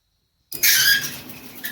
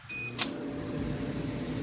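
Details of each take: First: Maytag 2000 series MCT dryer MEDE200XW1, roadside find with neglected lint: severe high-pitched squealing and chirps as drum starts turning; worn drum bearings and rollers, fixed by full teardown repairing them. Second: Steady low drum rumble with a faint hum and no squeak from a Maytag 2000 series MCT electric dryer (PN MEDE200XW1) after a full teardown repairing the drum bearings and rollers; running normally, and heat confirmed.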